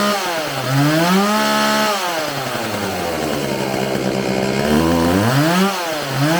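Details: Homelite 4620c 46cc two-stroke chainsaw with 20-inch bar, just restarted after recoil starter repair, carburetor cleaning and new fuel lines; revs rise and sag, stumbling slightly off throttle, showing hesitation, so the carburetor is to be adjusted.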